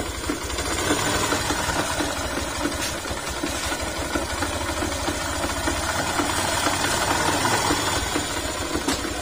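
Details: Yamaha YTX 125 single idling after all bearings and connecting rod were replaced, noise unchanged; uneven rattling knock, roughly four a second, over the engine beat.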